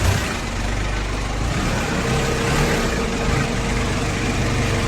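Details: Kia K2500 4x4 diesel, in neutral with AC on, after tightening the AC belt adjustment at the lower pulley: steady, even low idle with no belt squeal or chirp; belt didn't need replacing.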